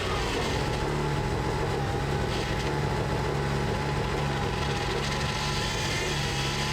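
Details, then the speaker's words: Mitsubishi Eclipse GSX cammed engine during turbo project; steady low drone with a constant thin whine, sounds bad, owner says something is too tight, suspected belt tension, not confirmed. "Ha! Something sounds bad. It's too tight."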